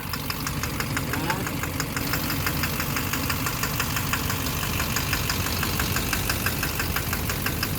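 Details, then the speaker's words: 2009 Chevrolet Duramax LMM dually, 59,945 miles, morning start: sharp steady ticking knock over rough diesel idle from a bad injector, traced to cylinder 5; unplugging it removes the knock, with a new Bosch injector planned. "now normally to be knocking like crazy right now points to the injectors it might be like an injector that's a little bad on this side and that side"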